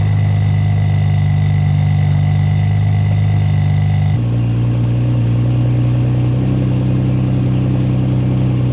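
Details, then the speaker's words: BMW F80 M3 with Valvetronic Designs valved exhaust after actuator reset and retightening: steady, deep petrol idle shifting tone twice as the exhaust valve switches, previous valve rattle gone. "right guys well that's about it so this one was a pretty easy fix and again this is really only going to apply if you have a new valved exhaust system and you have a little bit of rattle there"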